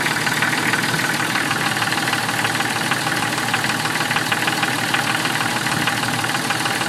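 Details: 1996 Jeep Cherokee knocking at idle: steady quick knock around three per second, seeming to come from inside the oil pan; cause unknown.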